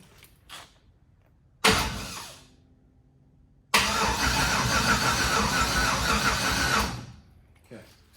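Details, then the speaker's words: Red truck rebuild, start attempt, starter jumped because of wiring issues: steady, even starter churning for about three seconds with no firing on only the residual fuel in the system. Cranks, no start, no fuel; next step is jumping the fuel-pump relay. "let's just see if it'll fire or anything from fuel just sitting in there you ready mhm okay nothing there uh jump the fuel pump that's what I'm do next"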